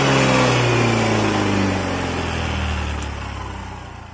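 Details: Yamaha Mio Fi 125 scooter after repair of a sudden refusal to take throttle: small single revs up and settles, pitch falling smoothly with no stumble or hesitation; sounds healthy.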